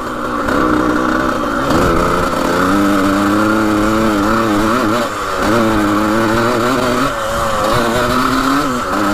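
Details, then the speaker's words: 1980 Suzuki RM125 two-stroke dirt bike with worn rings, flooding suspected and an old plug: raspy buzz climbs slowly and wavers, sagging instead of snapping up; it takes a while to rev out. Slow to rev out. "Takes a while to rev out all the way. You can kind of hear it."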